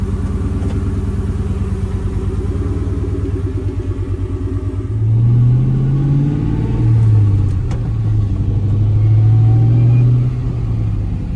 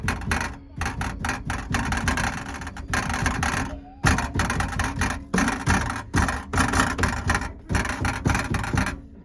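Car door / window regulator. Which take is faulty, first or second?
second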